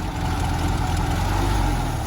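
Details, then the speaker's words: Restored 1931 Schebler DLX76 zinc-diecast carburetor (from a Henderson four-cylinder motorcycle) tested on a VW engine after restoration: steady, even low putter at idle with no misses, surging or knocks; normal idle, possibly slightly rich, float adjustment may need fine tuning. "we've got it it's idling right now"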